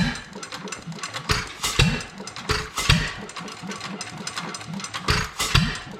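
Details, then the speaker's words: Domestic Type F engine with a mud-sucker pump, governor spring shortened about 1/4 inch, blow-by at the exhaust valve, dry hopper: slow, evenly spaced firing chuffs with long coasting gaps. It runs, but too slowly to pump water. "it's still running too slow to pump water at least it's running"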